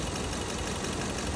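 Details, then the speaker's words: 2015 Kia Cerato at idle, scope on the injector: rough, uneven idle with a lumpy stumble; injector signal shows it opens but won't close, a stuck-open injector causing a cylinder misfire, later replaced. "اشتغلت شباب هاي الاشاره تبع البخاخ وقفت عن الاشاره شوفوا هنا ما هذا البخاخ بيفتح ما بيسكر عرفتوا"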